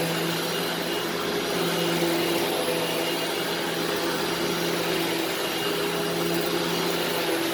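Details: Upright vacuum running in carpet mode; steady, even low motor hum and airflow rush with no rattles or surging, running normally.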